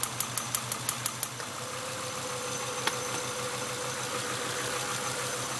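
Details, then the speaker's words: 1996 Acura TL 2.5L, P0301 cylinder 1 misfire at idle: sharp snapping ticks over a rough idle as spark shorts through a leaking distributor cap at the number one terminal. "I'm gonna disconnect the number one yeah there it is it's shorting"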